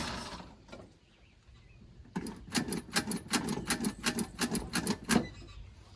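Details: Vehicle that was running rough again, during carburetor rebuild: about a dozen uneven starter chugs over three seconds, then silence; the engine cranks but never fires or catches.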